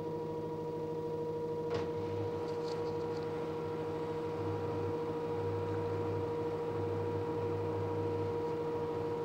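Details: LG direct drive 6 kg F1058ND5 washing machine with a steady mains-pitch hum and a low drone in uneven surges. Noisy running, owner suspects the pump, not confirmed.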